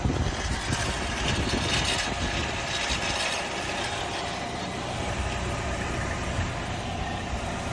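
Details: Nissan Altima 2.5 SV, 75K miles: a thin whine over a busy, uneven rattle at idle with no steady beat; source unidentified.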